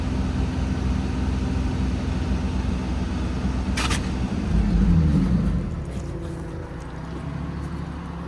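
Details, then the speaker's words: Infiniti G35 VQ35DE with headers, straight pipe and catch can, idling warm with heater and fans on high: steady low idle rumble with one sudden short rushing burst, like paper sucked into a vent or fan; the source is unknown. "it sounded like a piece of paper got like sucked into the air vent or into the fan or something I have no idea what that noise was"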